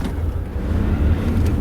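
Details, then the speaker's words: 2007 Ford Mondeo Mk4 1.8 TDCi, about 280,000 km, driven over cobblestones to prove nothing knocks: steady low road rumble, no clunks, knocks or interior rattles; suspension tight and healthy. "Bun, ca să vedeți că chiar nu bate. Ia uitați, nu se aude nimic."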